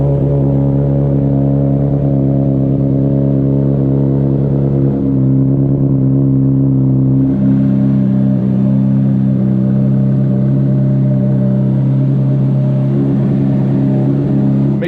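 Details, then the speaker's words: 2009 Honda CBR600RR, restored after a wreck, 13,543 miles, new battery, low on fuel, first run in two years: smooth, steady engine note steps up through a couple of throttle blips and shuts off; nothing out of place. "we're a little bit low on gas so we're gonna fire it up a little bit see how she sounds this is the first time I've had this bike running in like two years"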